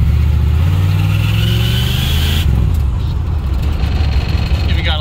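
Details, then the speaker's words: 1980 Pontiac Trans Am Turbo 301, revived after sitting about 18 years, driving on the road; the engine note climbs under throttle with a rising turbo whistle, then a sharp hissing blow-off as the throttle lifts; healthy spool. "and it runs so good and you can hear see if you can hear the turbo kick on"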